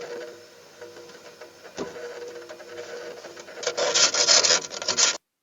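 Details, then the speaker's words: One-year-old Sharp refrigerator not cooling though the compressor runs, capillary tested with a partial low-pressure charge: surging rushing hiss at the evaporator shows refrigerant is flowing, so the capillary is not blocked; condenser pipe and filter getting warm. "Jadi seperti ini walaupun frame ini masih tekanan sedikit, belum full, ini ada bunyi, artinya ini tidak buntu ini. Artinya tidak buntu kalau ada suara ini di evap."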